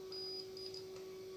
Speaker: uh it's instantaneous is when i'm touching the contact is actually beeping this is that's why i'm saying it's very good